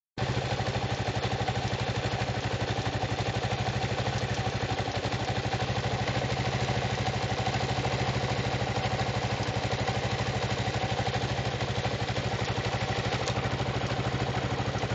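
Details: Kawasaki KLR 685 single-cylinder idling with steady light ticking, suspected from a weak valve decompressor spring.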